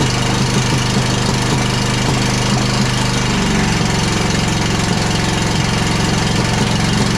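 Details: John Deere Z335E zero-turn mower with mice-damaged wiring, dirty filter, running on starting fluid. Loud, uneven running with irregular popping and clanking 2–3 times per second; one cylinder misbehaving from incorrect valve clearance.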